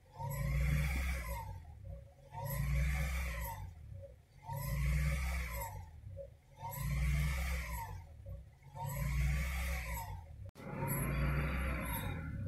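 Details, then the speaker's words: 2000 Honda Prelude SH H22 at idle off the pedal: rpm surges up and drops back roughly every two seconds, worse once warm; holds steady at raised rpm without misfire; cause not confirmed. "if I let it sit down at idle this is me off the pedal it just does this at an idle until it starts warming up"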